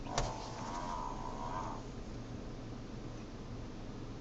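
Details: Avante steering turned fast: a short low groan rising to a mid-pitched moan for about a second and a half, likely power steering strain.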